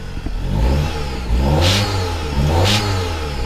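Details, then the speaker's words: Car that stalls when put into drive or reverse, stored code P1000: on acceleration, short hissing ringing bursts over the exhaust note; mechanic unsure whether it is air, suspects a clogged catalytic converter or exhaust; rattle on acceleration. "Ahorita que aceleré, hay un sonido que tal vez tengo que prestar atención. Hay como un ring, ring."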